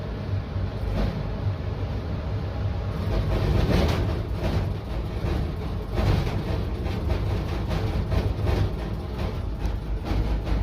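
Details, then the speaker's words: Furnace in a basement emitting a deep, steady rumble that swells and surges every few seconds as if struggling; it makes a light flicker, then seems to shake itself free after a while; cause unknown. "You know what? I might just stay here for a little bit cuz it seems like it's struggling. I can hear it struggling a little."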